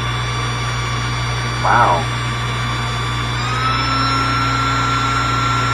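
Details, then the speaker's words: New SainSmart GS-775M spindle (rated 20,000 RPM at 24V) on a Genmitsu 3018 Pro, started at 20% and then taken to 100%: a clean, steady high whine climbing smoothly as speed rises, then holding even; it spins freely. "Oh, that's really moving. That's it 100%."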